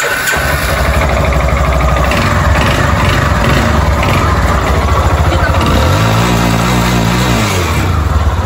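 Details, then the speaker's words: Yamaha Fazer 250 single idling and revved: hard metallic knocking over the idle that swells with revs; piston skirt slap, owner plans to replace it. "Tá fazendo um barulho terrível, hein? Bem, ele disse que vai trocar porque tá batendo saia."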